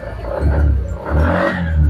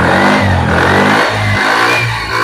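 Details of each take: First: Suzuki Spin 125 scooter, carburetor serviced and new spark plug fitted: engine surges in rough bursts and stumbles unevenly when throttle opens, a severe misfire. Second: Suzuki Spin 125 with bad stutter, carburetor serviced: after the broken ignition cable was reconnected, revs rise and fall cleanly with no stumbling or popping; running normally.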